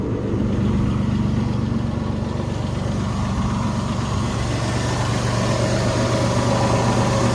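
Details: 2003 Jeep Liberty just after alternator replacement, battery light off: steady, even idle with smooth low hum, no knocks or misses; charging system working, engine healthy.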